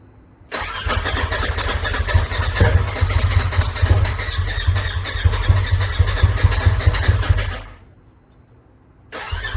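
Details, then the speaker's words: Turbo S after head studs and new injectors, timing checked, Dynojet connected. Starter spins steadily for about seven seconds with firm compression pulses but it never fires. Crank no start; owner suspects the fuel pump is in backwards, not building pressure. "it doesn't sound like it's building any pressure because the engine sounds like it wants to start but it sounds like it's only wanting to start"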